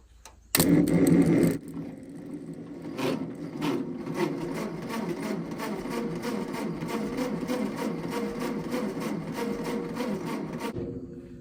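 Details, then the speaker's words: Ford 8N tractor, which the seller couldn't get to fire (he said the points needed setting; distributor gasket found fallen off), cranking: steady rhythmic churn about eight seconds, never fires; cause not yet confirmed. "The gentleman that we got it from said that he couldn't get it to fire."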